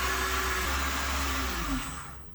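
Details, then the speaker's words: Repaired Headhunter X-caliber 12/24 V DC pump installed on the boat, about 400 W setting, tap open: steady whir with a rough uneven low rumble as air passes, then winds down to standby; noise from air in the lines. "But, and we're making some noises because we got air finding its way into the system. But it should shut itself off."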